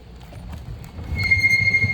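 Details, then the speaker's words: SMARTRAVEL 1200W 48V fat-tire e-bike on throttle through standing water: over low rolling and splashing, a steady high-pitched squeal starts partway through and holds; the disc brakes squeal because they are wet. "oh yeah you hear that squealing that's because it's wet I mean it's because those brakes are wet"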